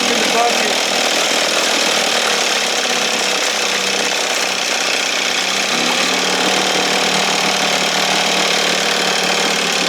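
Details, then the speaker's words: 1968 Evinrude 6 hp outboard, restored, with gear oil and roll pin, running on the stand just after starting, opened up for more air: steady, even buzzy two-stroke note with no misses or surging, slightly fluffy; running cleanly and healthy. "yeah babe you sound good"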